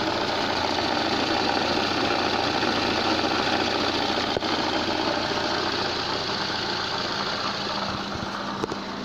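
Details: Lada gearbox at steady idle: quick, fairly even knocking about three or four a second from the rotating input shaft; noise disappears when the clutch is pressed. Worn gearbox input shaft bearing, confirmed on removal.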